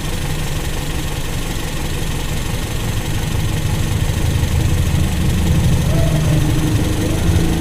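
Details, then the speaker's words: Toyota Kijang carbureted engine, warm, during idle mixture screw adjustment: steady low idle with a faint rhythmic rocking that rises slightly and evens out as the screw is opened. Slightly unstable idle while tuning. "penambahan membuka itu teman-teman kita tunggu jangan langsung ya masih ada goyang dikit"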